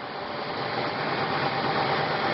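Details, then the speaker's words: 1997 Mercury Mountaineer AWD, 5.0 L V8, 135,000 miles, still somewhat cold. An even, steady idle at around 1,000 rpm with a smooth hum and no knocks, ticks or misses: normal idle. "Still a little bit cold out. See the idle's normal around 1,000."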